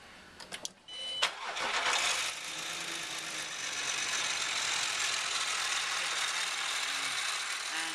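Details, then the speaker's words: Land Rover Discovery 4 SDV6 3.0L diesel cranking, catching, then idling under a loud, harsh hissing rattle from the front drive belt, with the idler bearing jittering; cause a failed drive belt tensioner, later replaced. "Idler bearing. That idler bearing was really jittering about."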